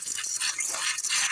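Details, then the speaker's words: Home water line after pressure tank replacement and overnight freeze, faucets opened to purge: hissy, spitting water flow with irregular bursts and rattles as trapped air clears from the line. "sometimes you got to open all the faucets up and get the air out of line"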